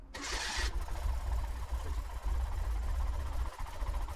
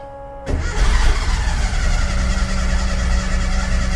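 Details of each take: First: Porsche 914, 2056cc engine on dual Weber carbs after balancing the idle, listened to from the rear: deep, steady idle with strong, even intake pulses and no misses or hunting, both carbs sounding equal; normal idle. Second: Porsche 914 2056cc on dual Weber carbs without a choke, during idle setup: catches and settles into a steady but slightly uneven idle with a faint ring on top. Mixture suspected lean; the idle screws will be turned a quarter turn each side.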